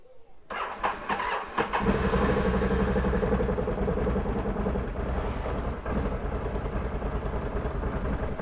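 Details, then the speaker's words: Can-Am Renegade XC 1000 that sat 7 months on a battery tender, likely still on its original battery; starter grinds over sluggishly with uneven chugs before the twin catches and settles; slow cranking, battery suspected. "it was a little slow to crank there wasn't it even with the battery tender on there and i think this has still got the original battery"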